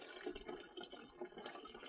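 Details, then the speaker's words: Glow-worm heat-only boiler overheating, pump not grinding or rumbling; in the loft, irregular trickling and splashing into the vent with very dark water, pumping over from a sludge-blocked system, magnetic debris found. "Probably hear that. We've got a pumping over issue. Now the water in there is as dark as Batman the dark knight."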